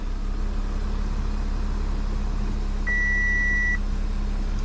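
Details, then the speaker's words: Audi Q7 after battery replacement, restarted after being shut off; smooth, even idle with a steady low drone and a brief chime, running cleanly; the no-start was caused by the battery. "so as you can hear the engine is running and now the engine starts so the engine starts right up after I turn it off so we're good the problem was the battery"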